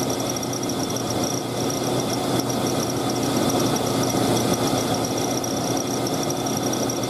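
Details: Engine running: steady high thin squeal over the engine without letting up, a slipping serpentine belt with a worn tensioner.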